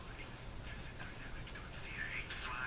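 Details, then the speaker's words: RCA Victor Model A-1 radio out of its cabinet on 110 V line, before output tube bias check: thin, tinny voice with harsh fuzzy edges and almost no bass; volume must be advanced far, low volume with high distortion. "tinny why you got to really Advance the volume a long ways something not quite right there Distortion too low volume High Distortion"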